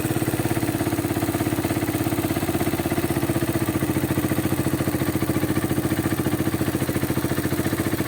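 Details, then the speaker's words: Raider 150 single-cylinder motorcycle bought in 2022, after about 10 minutes of riding at idle: fast, even metallic tapping at about two to three per second over the engine beat; it also starts hard and dies when revved; rattle of unknown cause. "parang may maingay na bakal na nagtan mga kaen ano ganito yung tunog Parang ganon na hindi mo malaman eh ano kayaang problema nito mga kaen"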